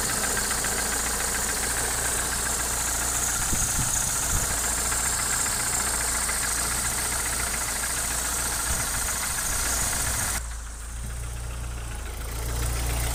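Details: Opel Omega A C20NE engine with hydraulic lifters already replaced: steady idle with a light, fairly even tapping knock about three or four times a second; source of the knock unidentified.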